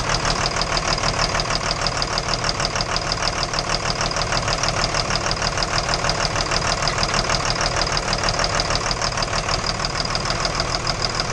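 Steady sharp knocking, about two per second, runs right through the idle over a noisy engine; a clear engine knock, source undetermined.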